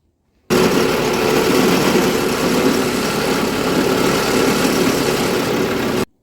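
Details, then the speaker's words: Hedge-cutter at last job of season: steady harsh clattering roar with uneven rattle as the cutting head spins; loose bolt on the other side that won't tighten, owner plans a new bolt, and worn hood hinge also rattles. "it doesn't sound overly healthy. I mean, is it this side or the other side? No, it's the other side. That bolt is loose, but I can't get it to tighten up, so I actually want to cut out a new bolt."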